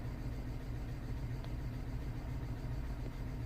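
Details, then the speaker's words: 2009 BMW 318i E90, 2.0 petrol, with a cylinder 3 misfire, heard at the exhaust, which smells of petrol: a lumpy, uneven idle. The misfire is still on cylinder 3 after a swap, and an injector is also leaking on cylinder 4. "so there we go miss firing and now it's fingers crossed that my misfiring is now on cylinder number four"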